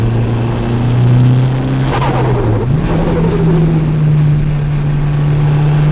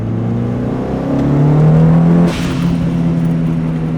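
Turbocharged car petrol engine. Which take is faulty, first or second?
first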